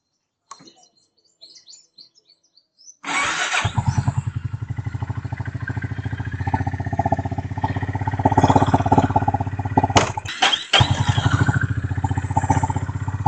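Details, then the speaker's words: Motorcycle drive chain after cleaning and lubrication: the engine settles into a steady, even beat and the chain runs smoothly with no rattle or grind. It made a loud harsh noise before the cleaning; that noise is now gone. "చూసారా స్మూత్గా run అవుతూ ఉంది. ఇప్పుడు sound రావట్లేదు. ఇంతకు ముందు అయితే చాలా కిచ్ సౌండ్ వచ్చేది, ఇప్పుడు అలా సౌండ్ రావట్లేదు."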